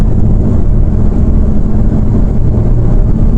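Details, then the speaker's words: Hyundai i20 diesel, 100,000+ km, driving after timing chain change and engine service with genuine parts: deep even diesel drone pulling smoothly, no knocking, jerks or surging, over wind rush; runs normally, pickup improved. "और गाड़ी देख सकते हैं कितनी बेहतरीन चल रही है और गाड़ी में तो भैया मज़ा ही आ गया, इतना बढ़िया गाड़ी चल रही है क्या बताएं।"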